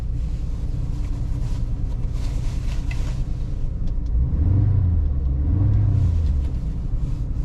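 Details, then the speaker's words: 1983 Jaguar XJ6 revved in neutral after a transmission clunk and loss of drive: deep even rumble climbs smoothly with two blips; engine pulls cleanly and seems fine, transmission suspected. "engine seems fine has power that is strange"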